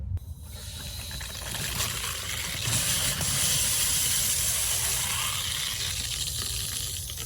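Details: Rain Bird sprinkler valve after diaphragm replacement, water turned back on: steady rushing hiss of water, even and unbroken with no sputter; valve flowing normally, no leak.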